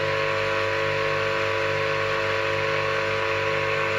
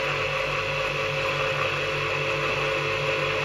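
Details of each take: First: Old Soviet 380 V electric motor, bearings freshly greased, running unloaded in delta connection after a capacitor start, with a steady harsh hum, strong low buzz and hiss; star connection runs softer and cooler. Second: Old Soviet 380 V electric motor, unused since overhaul with freshly greased bearings, running star-connected via capacitor without load: steady hum with a faint even bearing whir, harmless as the grease spreads.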